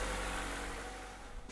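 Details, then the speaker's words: 2014 Chevy Volt engine running after replacing the valve cover with its built-in PCV valve: even hum, whistle gone, fading off at end; front crank seal may still need replacing as it was being sucked in. "now that we've replaced the valve cover you can clearly hear that the noise has gone away so that took care of part of our problem"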